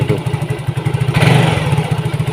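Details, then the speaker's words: Yamaha Mio GT with a clogged, dirty fuel injector, still running badly after injector cleaning and an injector filter change, before injector replacement; the fuel pump is not weak: uneven, surging idle that sometimes runs well and sometimes barely holds on. "Nah, hidupnya tuh seperti ini. Terkadang dia enak, nah terkadang juga tidak ya."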